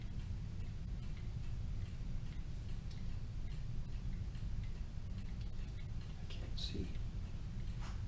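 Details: Kienzle Vienna regulator clock movement, freshly rebuilt and wound, running on a test stand outside its case: faint, even ticking over a low room hum, steady beat with no stumbles; healthy pendulum movement.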